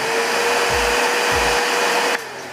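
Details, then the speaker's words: Multipro 3-in-1 wet/dry/blow vacuum cleaner, 650 W, 10-litre tank, first power-on test: loud even rushing whine at a steady tone, then winding down; fairly noisy but normal motor running. "Suaranya lumayan ya, lumayan berisik, tapi ini nggak berisik-berisik amat sih sebenarnya."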